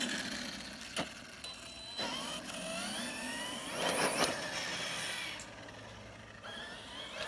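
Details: Arrma Kraton EXB 1/8 RC monster truck after diff teardown (shims, fluid checked) and fixing pinion grub screw rubbing the aluminum motor mount: electric whine rises and falls cleanly with throttle, no gear noise as before; drivetrain quiet.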